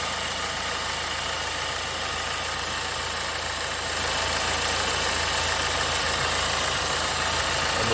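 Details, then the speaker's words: 2009 BMW 320d diesel with cylinder 3 injector misfire (fault 443C), parked for months: engine light off, steady even idle with smooth regular beat, no stumble or shake; normal idle. "Yeah, the engine light's gone out. This gear selector isn't doing as much of a dance as it was before. Oh god, the engine's nice and smooth."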